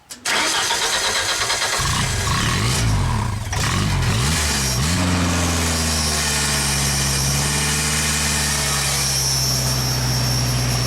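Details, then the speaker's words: 1995 Genie Z-45 boom lift engine, which often stalled, with throttle linkage moved so the butterfly closes fully, probably too far: cranks, catches, surges and stumbles unevenly before steadying; rough when closed but governor revs it to full throttle. "Now if you close it doesn't like that, but you can definitely rev up, so when you give it command to full throttle, the thing works."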